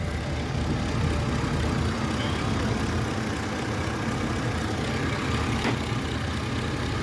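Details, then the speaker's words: Mercury Mountaineer after a new alternator, which came in barely running and sounding horrible; steady, even idle with a smooth low hum and no knocks, though a slight misfire may remain; alternator charging; normal idle. "so the truck is running and it sounds way better than how it came in"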